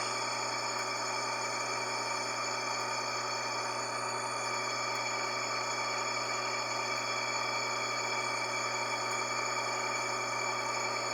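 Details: Electric motor running with steady hum and rough gritty whir from worn bearing; noise increases when belt load increases.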